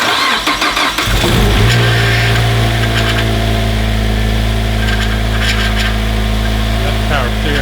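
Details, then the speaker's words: 2007 Mazda Miata with swapped 2.5 engine, in neutral: brief crank, catches at once and settles into a steady, even low idle, perhaps slightly deeper than before, no misses or knocks; normal start and idle. "all right sounds really good uh take a look underneath and look for leaks i'm happy well i'm glad sounds different does it a little deeper i think actually"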